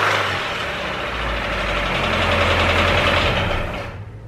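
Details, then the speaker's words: Honda Civic EK engine with rod knock that got worse on the drive home, idling rough with a heavy knock about three times a second, then stalling out; bottom-end knock, needs downshifting to keep running. "okay just a little quick recap of what's going on with the EK is so the EK as you guys know the motor is knocking pretty bad it actually got worse i'm actually gonna show you guys in just a second but the EK didn't make it home as soon as we got home the the car just started stalling out"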